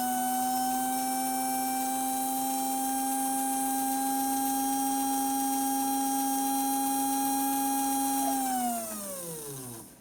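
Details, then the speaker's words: American Flyer Royal Blue locomotive motor after cleaning and lubrication: clean steady high whine at full speed for eight seconds, then smoothly dropping in pitch as it coasts down; healthy free-running motor. "Yeah, it sounds like it wants to take off."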